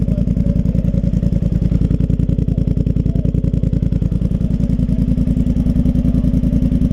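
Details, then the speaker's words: Polaris Sportsman Highlifter 850 twin with Big Gun Power Box and Evo U exhaust, running after tuning, smoking a little, probably as excess fuel burns off: fast, steady low thumping, even beat, no misses; normal idle. "Okay, so after, I don't even want to say how many choice words, she's running."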